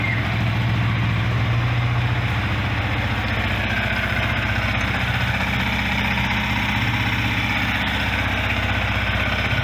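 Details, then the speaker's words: Yamaha Vixion R (single-cylinder) idling after an oil change per the Yamaha manual, started to check for oil leaks; steady, even putter with no knocks or rattles. No leaks and oil level correct; normal idle. "Setelah itu, langkah selanjutnya adalah kita akan mengecek apakah ada kebocoran. Pertama kita hidupkan dulu mesinnya."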